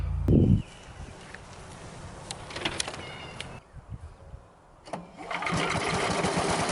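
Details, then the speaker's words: Late-1980s Sears Craftsman 9HP chipper/shredder, about 30 years old, leveled on an incline. A loud start burst, then a quieter stretch, then a steady, even single-cylinder roar; still running strong. "So it's about 30 years old and it's still running strong."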